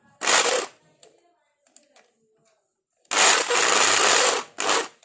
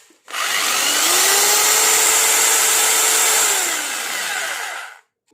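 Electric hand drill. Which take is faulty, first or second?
first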